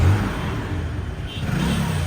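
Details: Hero Splendour iSmart motorcycle after a full service with fresh Motul oil: low, even single-cylinder note rising and falling smoothly with light throttle blips, no knocks or rattles; sound judged fine, normal revving.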